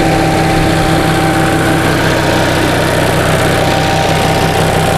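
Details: 1945 Onan generator, restarted hot with spark plug shields back on, engine at 127 degrees and 25 psi oil pressure, charging with voltage slightly high: steady, even low-pitched idle with constant hum, no misses or knocks; normal idle.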